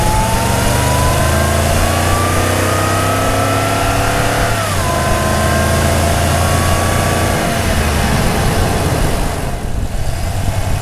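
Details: Toyota Tundra V8 with aftermarket intake, microphone hung in the engine bay over the airbox: clear high whistle rising and falling with revs over the engine, sounding like a turbo diesel; intake whistle.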